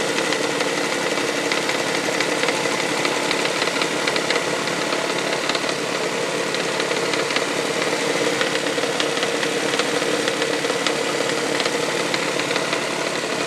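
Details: 1999 Toyota Sienna engine idling: light uneven tapping over steady hum, like something hitting the valve cover; began after six NGK iridium plugs and oil change, heard around 2300 rpm driving; cause unknown.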